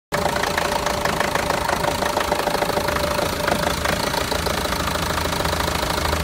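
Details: Renault Master diesel, fault code DF065 misfire: rough idle with irregular knocking about three times a second; all four injectors already replaced with new ones, no change, cause unknown.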